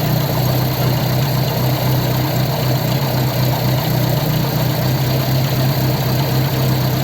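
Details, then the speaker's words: Ford 100E engine after repairing the fuel pump; now charging without touching the dynamo. Steady, even low idle with no misses, knocks or hunting, running smoothly: normal idle. "bit of tinkering there repaired the fuel pump fiddled about with that and made it start charging"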